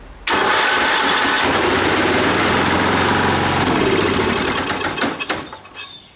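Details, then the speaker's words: Toro riding mower with 11 hp Briggs & Stratton single-cylinder, after 4 years sitting: catches and runs with rough rhythmic thumping knock then dies; knocking because motor isn't bolted down, owner also suspects jumped flywheel key. "Sounds like the key has jumped on the flywheel. The knocking noise you're hearing is because the motor isn't bolted down"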